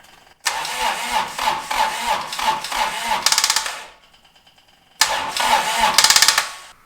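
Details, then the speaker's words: Toro Reelmaster 3100D diesel reel mower, first start after a rebuild, glow plugs getting no power: starter chugs quickly and evenly, never catches, pauses, then cranks again, running the battery flat. A bad connection is suspected. "Burning down the battery. That's really cranking hard. Okay, so let's try it again. It should go."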